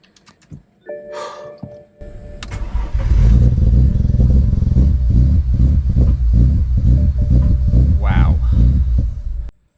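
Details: BMW N54 after a no-crank no-start, thought to be caused by repeated starting on low battery voltage, with a second-hand part fitted: a quick cranking whirr, then the engine catches at once, revs and settles. It cranks and starts normally.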